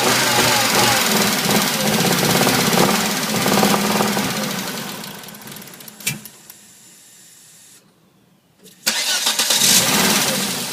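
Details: 1997 Volvo 850R petrol engine after cylinder head rebuild: unsteady, lumpy rough idle, goes quiet midway then runs again.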